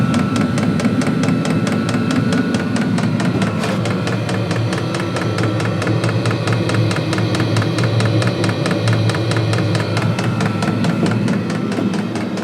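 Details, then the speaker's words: Diesel heater newly installed in a custom truck camper, in its ignition phase just as the flame kicks in: fast, even, loud fuel-pump ticking over a steady low fan hum, with no sputter or surging; normal start-up running. "You can hear the flame just kicked on. So eventually start to get warm. It's still in the ignition phase, so it might take a minute."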